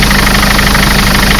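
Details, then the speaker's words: Mercedes Sprinter 903 CDI diesel that cranked without firing in cold weather (new glow plugs didn't help), running after fitting a reconditioned starter motor; steady even idle clatter, constant low drone, no misfire; normal diesel idle. "so here we are right first start with the new starter motor let's see what happens wonderful so good"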